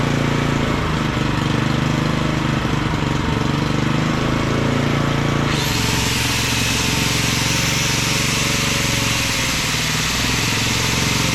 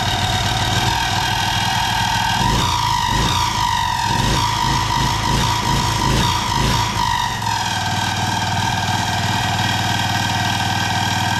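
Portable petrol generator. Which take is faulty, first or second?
second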